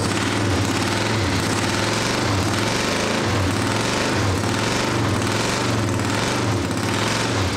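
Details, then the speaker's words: 1979 Honda CX500 cafe racer project, first running on carburetors; uneven loping idle, lumpy surging beat, harsh exhaust, running on one cylinder because one ignition coil is wrecked; idle set too low, new coil on order. "It's only going to run on one cylinder because I wrecked the one coil."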